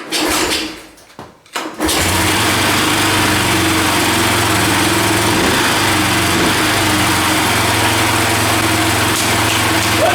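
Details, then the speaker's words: 1985 Yamaha three-wheeler barn find, sat about seven years with kerosene in the tank, engine unseized and new carburetor fitted: cranks, catches, runs with an uneven hunting beat around four a second; owner reports idling issues with the carburetor. "having some idling or something some issues with like my carburetor"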